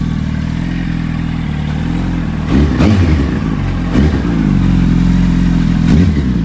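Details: Warm 2005 Yamaha R1 inline-four, engine rebuilt a month earlier, on its third oil change, full titanium TI Force exhaust: a smooth, even idle with a few crisp throttle blips that rise and settle cleanly, sounding healthy.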